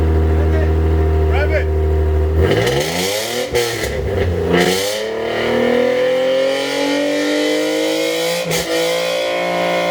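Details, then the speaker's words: 2005 Infiniti G35, home-welded dual exhaust with two Borla mufflers replacing raspy HKS cat-back, mocked up after loose flanges fixed: deep steady idle, throttle blips climbing and settling smoothly, no rattles, ticks or leaks. "dude i love that buildup it's mocked up you heard it"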